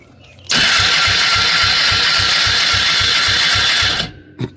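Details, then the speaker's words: Polaris 300 two-stroke ATV with a replacement top end and non-functional oil injection, engine failed after two days: compression test while cranking, quick even starter pulses with no firing, soft strokes; reading about 20–30, previously up to 50, worsening. "it's worse it's worse oh it get worse"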